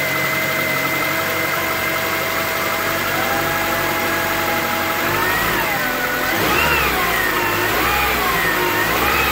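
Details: 2005 Honda CR-V before transmission repair: engine running with a clear high whine rising and falling with engine speed; repaired transmission is much quieter.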